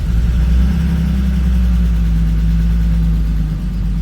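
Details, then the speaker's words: 1992 BMW E36 325i petrol manual, first start after 2–3 years in storage and a fuel pump replacement: fresh start settling into a steady, smooth idle with no knocks or misses; sounds healthy. "And it starts. It actually sounds okay. Hooray! That's great news."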